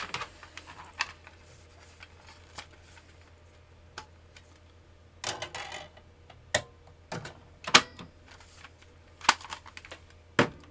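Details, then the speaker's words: PlayStation 1 SCPH-900x reassembled, at power-on: irregular sharp ticks and clicks every second or two over a quiet hum, still loud; owner wonders about a power issue, though the disc was eventually recognised; noisy disc drive seeking. "That still sounds like garbage, doesn't it? Right. Interesting. I wonder if there's a power issue. Yeah, so it's still a bit loud."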